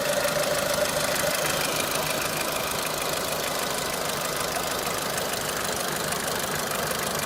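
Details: Renault Clio 3 1.4 16V engine at steady idle: irregular light tapping, roughly three a second, not tightly even; knocking noise of unknown cause.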